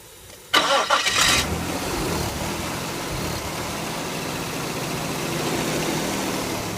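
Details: 1998 Nissan Pathfinder: engine cranks and catches, then idles with a steady airy hiss over it; source unidentified, noise also happens when shifted into Drive.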